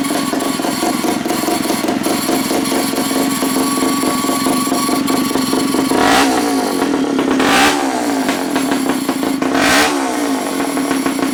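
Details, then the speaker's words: Pull-start gas rat bike, small single-cylinder engine just started: revs up and settles, running evenly with a steady note between blips; pull start noisy but engine healthy. "there we go pull starts noise you got to go deal with that but other than that sounds good don't it I think she'll be just fine"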